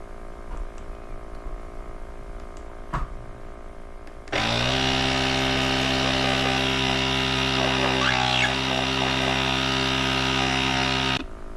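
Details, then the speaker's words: AUTOONE 8000A jump starter's built-in air compressor, with the air hose connected, recorded indoors in a kitchen: a steady buzzing motor hum with a fast even pulse, smooth and unchanging from start to stop; running normally. "This is with the air hose connected. This is just to show you the sound in a enclosed environment."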